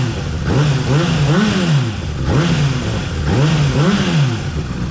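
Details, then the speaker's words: Honda CBR600RR inline-four with decat pipe fitted, before dyno tune: blipped up and down twice, crisp rise and fall, no clatter, earlier awful clattering gone; healthy revving, though an exhaust blow remains at one joint. "perfect absolutely perfect look it's ready for the dino tune guys"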